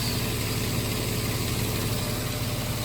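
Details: 2006 Nissan Xterra idling after crank-no-start repair: low, steady idle with even beat, no misses, stumbles or ticking; no check engine or warning lights.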